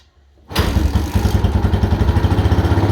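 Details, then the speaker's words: Yamaha Mojave 250 single-cylinder first start after timing chain replacement, fresh oil, with choke: fires straight up and settles into even steady thump with no rattle; possibly over-choked, timing doubt raised but runs okay. "that sounds good you choke it too much"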